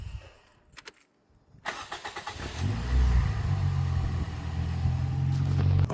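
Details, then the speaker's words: 2003 Toyota Yaris T Sport 1.5 VVT-i after the starter motor was replaced (it had intermittent no crank, no click): a short, crisp crank under a second, then it catches straight away and settles to an even idle. Healthy starter. "Wow. Now, the reason I said wow is because this car has never ever started that quick before. Like, never. I mean, if I do it again. Now, that sounds like a healthy starter."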